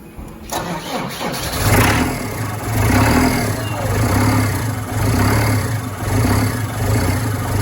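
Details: Perkins turbo diesel in a Manitou M50 forklift, after injector pump replacement, fuel priming and injector bleeding. It cranks briefly, catches cleanly and settles into a steady, even idle with no misses or knocks: normal start and idle.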